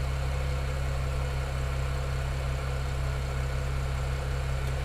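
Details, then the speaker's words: BMW 335i N54 first start after Chinese 17T hybrid turbo install, oil about 70°C: smooth, even low idle, steady deep hum, no ticks; an earlier slapping sound was possibly a drained lifter after two weeks parked. "So that's at idle. That sounds good. Sounds really good."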